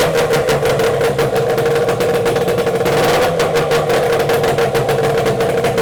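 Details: Yamaha 8C two-stroke outboard bought from Japan, run after unpacking with cooling checked (telltale initially blocked); fast, even two-stroke crackle held at steady speed with no misses or stumbles, running cleanly.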